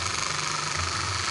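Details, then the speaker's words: Miyako stand fan that would not oscillate, after straightening the rubbing shaft/lever: even, steady whir with faint high tone, no clicking, rubbing or grinding, oscillating strongly again. "kita hidupkan lagi nah ini sudah jalan sudah tengok-tengok dan kuat bisa kembali lagi"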